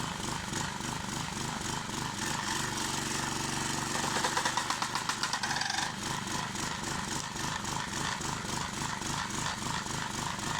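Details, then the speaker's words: Clarke 20-ton log splitter after its original engine was replaced with a 5 hp engine, fired up to split bigger logs: an even beat of about four pulses a second without hunting, healthy and well governed. It no longer bogs or dies. "Been quite happy with the performance of it with this 5-horse engine on here. Seems to be running pretty well now."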